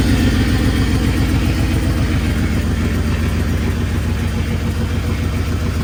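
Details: 1995 Pontiac Firebird Formula with a Corvette LT1 swap and new fuel pump, first run after sitting 7 years. Loud, lumpy idle with a steady low puffing tick about four per second; a big exhaust leak is stated.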